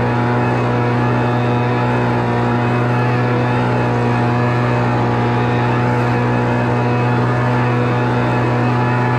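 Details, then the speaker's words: Homelite Mighty Lite 26BP two-stroke backpack blower after carburetor replacement and adjustment, already warmed up: steady even drone holding one pitch, no surging or stumbling; running normally. "all right so I'm gonna crank this thing up I got it set to run because I already been running it"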